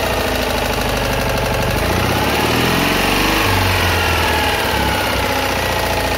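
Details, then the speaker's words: Citroën Ami 8 small twin, already hot and run briefly without its cooling fan, runs rough and uneven with stumbles and missed beats under a mechanical clatter. Points spark heavily, the plug spark is weak, and it coughs through the carburettor. Owner blames the condenser for big ignition misfires. "Donc là voilà, on a pu voir que le condensateur déconne. Qu'il y a des gros ratés d'allumage aussi. Donc là franchement ça vient de ça."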